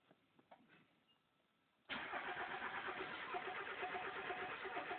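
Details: Mazda Miata; starter spins engine in steady rhythmic churn but it never catches; cranks but won't start.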